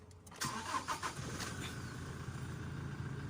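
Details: Toyota Hilux diesel that would not start, IVMS switch modified: short crank catches within half a second and settles into a steady, even idle; it now starts and runs normally.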